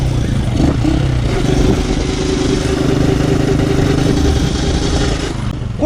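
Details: 2008 Honda CG 125 motorcycle cruising in fifth gear, otherwise running fine: steady gear whine over engine drone only in fifth; worn, damaged fifth gear.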